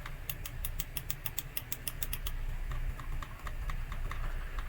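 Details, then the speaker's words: SCUF Reflex controller, R1/R2/L1/L2 shoulder buttons: a few crisp mouse-like clicks, then dull muted presses with no click because the plastic part no longer touches; button press without click. "écoutez bien le bruit des touches on entend bien le clic de souris là aussi et là on entend pas on entend pas le clic par rapport à lui"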